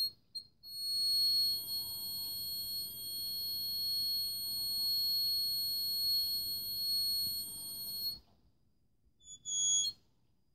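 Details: Addzest APA-4320 power amplifier emitting a thin, piercing high whine of several steady pitches in short bursts, traced to a coil inside once the lid was opened; coil whine.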